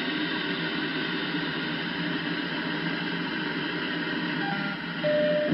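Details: Icom IC-7100 on 2m band, monitored alongside a DVB card: constant rushing hiss with faint tones swamping repeaters and weak stations; seems to occur only when two signals transmit together around 145.1 MHz, easier heard in AM; source unidentified.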